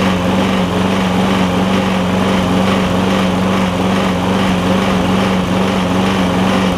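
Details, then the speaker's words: Lowe's MTD push mower with a Briggs Quantum engine (was smoking, running rough, spitting gas from the carb), run after an intake valve grind with no air filter fitted: steady buzz with a slight rhythmic rise and fall, surging a little. "don't know yet let's see if about the air filter less but it's surging a little bit"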